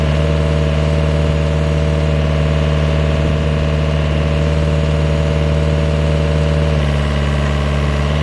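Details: GPS-guided vineyard post driver: diesel held at steady high revs, as needed for pneumatic hammering of posts, strong even drone with slight pitch drop near end; loud but normal operation.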